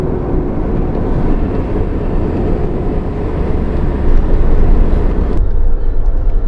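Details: Pontiac Firebird Trans Am, third generation, with limited-slip (Posi) rear differential: heavy low droning rumble builds from the rear end under power, loud differential noise under load.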